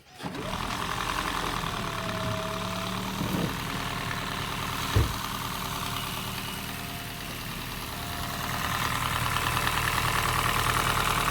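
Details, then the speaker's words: Honda Fit GP5 hybrid, warm engine at idle: quick, even ticking at about three per second over a smooth idle, heard even from the cylinder; worse when cold; valve clearances need adjusting. "Ну это клапана точно А ещё бывает ёл не тут явно братан клапана Я даже с цилиндра слышу есть такое ну Да шумно Ага"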